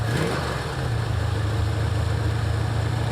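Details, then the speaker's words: 1984 Ford Mustang GT350 V8, just started on choke after new starter: steady idle with quick puffing tick on each firing pulse; exhaust leaking at the headers, easy fix to order later. "Something don't sound good. You what? You hear that? We'll just get those some other time. It's not a big deal. Yeah, it's leaking out of the headers."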